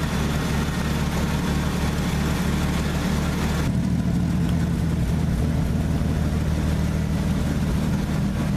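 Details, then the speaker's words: Old truck engine warmed up to temperature after a cold start: low, even rumble with steady firing, no knocks or misses, smoothing into a healthy idle once warm; normal warm idle. "It sounds a lot better. It's smoothing out. It's not quite going to idle yet. It's smoothing out. Heat. Heat. I'd say it's running really healthy."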